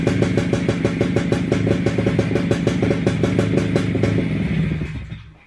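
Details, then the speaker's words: WSK 125 two-stroke motorcycle, first start after engine rebuild, engine back in frame: crisp even popping at steady idle, about three beats a second, then dies away; owner surprised it held idle. Normal idle. "ogólnie póki co jestem zaskoczony bo odpalił nawet obroty wolne trzymał"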